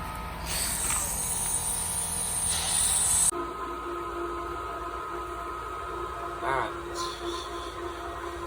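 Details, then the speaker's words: Pentair sand filter pool pump with a DIY pressure release valve: sharp steady hiss for about three seconds, then pump hum with water noise as air bleeds off while the pump primes. "it's starting to be prime so you gotta mix the air water pretty much all water"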